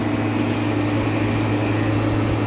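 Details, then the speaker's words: Walk-in freezer compressor after shutting off in a pump-down test: a steady low hum with a constant rushing hiss as gas leaks back past internally (possibly weak reeds or relief valve), so it can't pump down, which destroyed the start components; replacement needed. "Yeah, you can hear it. It's leaking past. Sad cuz it still works, you know."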